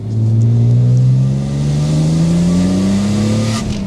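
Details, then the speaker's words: BMW E36 M3, off the road for 5 years, on the road: strong clean rising engine note with a raspy edge like an E46 as revs climb smoothly; normal acceleration. "It's got that raspy sound, like an E46."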